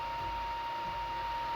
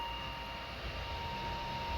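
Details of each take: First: Constant thin, high whine over a quiet background from the power supply cooling fan of a modded Anycubic i3 Mega during its first print in carbon-fiber PLA. There is no stepper motor noise; the noisy power supply fan is due for a Noctua replacement. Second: Steady, even fan whir with no stepper grinding or clicking from a modded Anycubic i3 Mega printing a small gear in carbon-fiber PLA; the motors are silent and only the power supply fan is heard, so the printer is printing normally.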